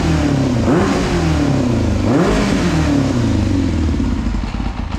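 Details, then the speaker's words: Four-carburettor motorcycle after carb cleaning and vacuum-gauge balancing: two clean throttle blips rising and falling smoothly, then quick even return to idle; much smoother, responsive, well-balanced running. "I know that's probably completely overwhelming the microphone and sounds terrible but like it sounds so much better it's so much smoother running now"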